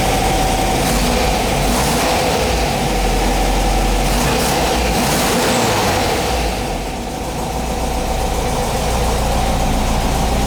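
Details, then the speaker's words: 1959 VW single cab pickup air-cooled flat-four after restoration work, warming up after starting; steady even idle with a slight dip in speed midway then recovering: normal idle. "Let's try it again. Sounds good. Let it warm up for a minute."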